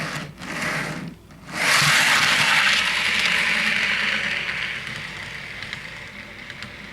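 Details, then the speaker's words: 2014-run Intermountain cylindrical grain hopper model car rolling on straight track before fix: tall coupler box screw heads rub the outer wheelset axle, giving light hissy scraping and drag that fades as it slows; fix is grinding the screws down. "I already tell this guy's dragging a lot more he'll just let's just see what happens here"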